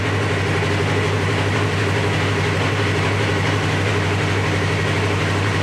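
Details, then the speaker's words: 2017 Polaris RZR XP 4 1000 after limp mode and multiple codes, first start with a new replacement ECU: started right up, fans didn't kick on, steady even idle with no knocks or misses; check engine light still on. "there we go nice and secure come on good news well the fans didn't kick on that's good started right up that's good"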